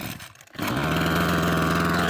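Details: Parkside two-stroke hedge trimmer after a new carburettor diaphragm, on full choke: a brief pull, it catches on the first pull and settles into a steady, even buzz. It starts properly where it used to cut out after two or three minutes.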